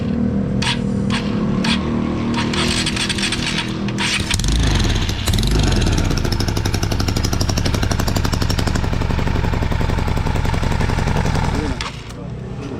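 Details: Honda XR150 single-cylinder, brought in noisy with no power, after teardown and repair with oil pump confirmed delivering oil to the head: steady, even idle, clean repeating beat, no top-end knock or rattle; still smoky from exhaust residue.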